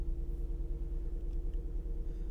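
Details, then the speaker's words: 2016 Ford Mustang V6, 153,000 miles, body panel damage, flat rear tire, oil change required, at Copart: steady, even low rumble at idle with no knocks, ticks or misses; engine sounds smooth and healthy. "oil change required that engine sounds so good though oh my gosh that engine is nice of course it is it's a 2016"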